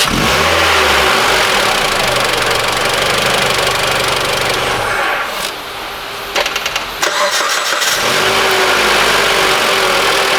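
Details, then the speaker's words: Mitsubishi ASX 2013, 1.8 petrol, CVT, FWD, 448,000 km, warmed engine: quick start to even idle, shutdown and clean restart, no whine or chirp; intermittent rattle absent; cause found to be alternator overrunning clutch pulley, replaced without removing alternator. "Двигатель я прогрел несколько раз, заглушил, завёл. Звук не проявляется."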